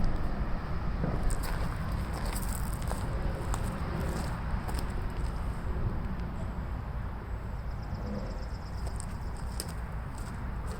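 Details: MTD 22" walk-behind mower, finished after repair and oil change, final run: steady, even low drone at constant speed with no knocks or misses; healthy.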